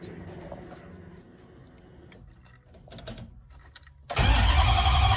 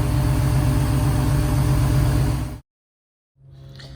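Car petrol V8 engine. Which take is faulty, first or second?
first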